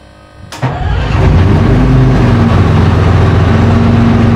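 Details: FV432 troop carrier diesel, long-sitting, being revived and running on real diesel: quiet, then the engine catches at once and settles into a steady, even, deep idle with no misses; normal start and idle.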